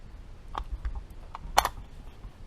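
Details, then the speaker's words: Rebuilt 1953 Harley-Davidson Panhead four-speed transmission on the bench after installing the detent spring, detent and lock: a few crisp metallic clicks as it is shifted by hand; detent snapping cleanly into its grooves, normal. "can hear it. That detent goes into those grooves real nice."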